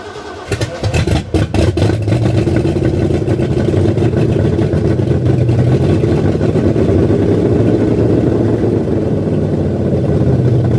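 V8 settles into an uneven choppy lope at idle, steady rhythm after starting; healthy lumpy cam idle, nothing wrong.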